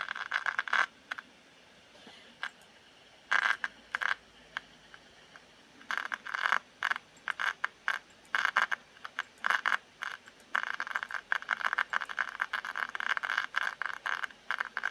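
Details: MacBook Pro 2015: irregular dry crackling and scratchy bursts from the laptop cooling fan, coming and going in uneven clusters; the fan is faulty and needs replacing.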